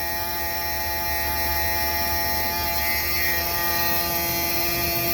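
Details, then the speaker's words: Mini excavator cab blower motor run from the blower switch with a borrowed knob during cab repair: loud, steady high-pitched whir with an even hum and no wavering or grinding; blower motor works properly. "blower motor is working sweet"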